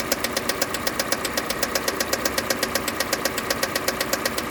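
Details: 2015 KIA Sportage 2.0 G4NA engine at idle: sharp, even metallic knock about four times a second, clearly above the engine note; source not pinned down, cause suspected, not confirmed.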